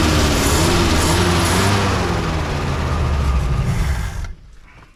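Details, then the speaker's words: 1963 Mercury Comet, V8 260, first start in about 25+ years on added gas: rough, loud, unevenly pulsing run for about four seconds before dying; owner says the carburetor jets aren't working. Engine running poorly. "Jets ain't working in the carburetor"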